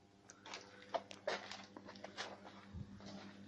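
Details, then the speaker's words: VAZ 2107 front suspension rocked by hand: short irregular creaks and squeaks from new Trek front-arm bushings a couple of weeks after fitting. Likely cause is under-tightened arm axle nuts; tightening them about four turns stopped the squeak. "слышите этот скрип появился после замены сайлентблоков передних рычагов"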